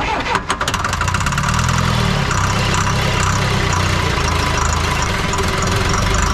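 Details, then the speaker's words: 1984 Lull Highlander 3 model 622 telehandler, four-cylinder diesel sitting about 20 years: cranks, fires sharply, then runs rough at low revs and won't stay running despite throttle work; air in high-pressure fuel system, lines not bled. "no matter what i do down on this injection pump i can't get it to stay running working the throttle back and forth and everywhere else i got air into the high pressure fuel system"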